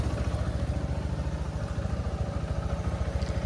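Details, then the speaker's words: TVS Apache RTR 160 BS6 after timing chain replacement (chain adjuster was at its limit, noisy at idle): even low thump at steady idle, no ticking or chain slap; normal healthy idle. "देखिए भाई साहब सारा काम करने के बाद engine का आवाज कुछ इस तरीके से है यह देखिए कंप्लीट बेजोड़ साउंड आया भाई है ना"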